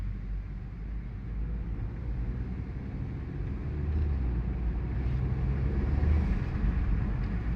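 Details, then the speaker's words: 2018-2022 Honda Accord (2022) test drive after rear brake pad replacement: even low road rumble while slowing, no squeal, scrape or grinding from rear brakes; earlier sound gone completely, braking quick and quiet. "And all right, so that sound, the sound is gone completely. And braking, as far as braking, it's quick."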